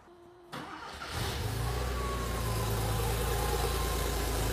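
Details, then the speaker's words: Air-cooled Porsche flat-six, first start in the car after rebuild and test-stand run, now on car's harness and fuel pump: quick catch, then smooth, even idle with steady low hum, no miss or knock. Normal start and idle. "that's good. That's good. really smooth."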